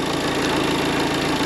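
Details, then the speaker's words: Diesel idling with a harsh, rough clatter outside the car, not audible in the cabin; the vacuum pump in the oil pan is suspected but not confirmed, and replacement is judged unnecessary. "wcale kulturalnie nie pracuje kulturalnie ktoś mówił środku nie słychać jakieś takiego dziwnego dźwięku na zewnątrz nie wiem czy to jest wina wakupompy czegoś innego jest takie"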